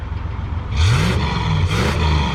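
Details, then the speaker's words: Car with a 289 V8 after a top-end rebuild; it had been smoking under the hood earlier. Even idle, then two clean throttle blips climbing and settling back with no knocks or misses. Normal revving, sweet-running engine. "All right, there we go. Now we're talking. See, I told y'all, good running rig, sweet running automobile."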